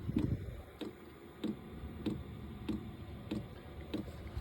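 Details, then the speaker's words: New diesel heater on a shuttle bus, first test on a hot day; crisp even fuel pump ticks roughly every two-thirds of a second over a soft low hum, normal metering while heater blows hot air. "You hear a click. Every 1.7 milliseconds, I guess, it clicks, pumps."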